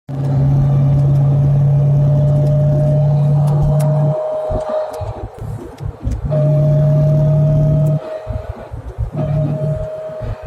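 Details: Chevrolet Corvette C6 with 6-speed manual: steady low whine rises with each pull under acceleration and drops away off throttle. Owner suspects a differential problem, unconfirmed.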